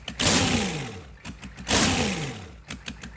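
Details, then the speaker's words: GEP/Navistar 6.5 diesel, rebuilt (Scat crank, 30 over, moly pistons), Stanadyne DB2831-4911 pump, on a stand, about 34 psi oil pressure: two sharp revs climb high and drop straight back to a settled idle without stumbling; healthy response. "Notice how the motor falls back to idle. Doesn't stumble or anything. Goes right back to idle for high RPMs."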